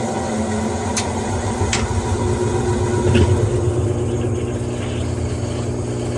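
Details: Whirlpool top-load washer after tub hub and wash plate replacement, which had failed to spin and made a weird noise: steady low churning rumble with light irregular clicks, no grinding; normal washer agitation.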